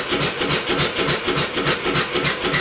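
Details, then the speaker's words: Homemade double-expansion engine built from a two-cylinder air compressor, on its first start attempt. A rapid, hissy, uneven chuffing fires only a few times; intermittent firing. Owner suspects an old, possibly fouled spark plug. "well it's fired a couple of times I'm going to swap out the spark plug that's an old spark plug out of the 360 that could be oil filed"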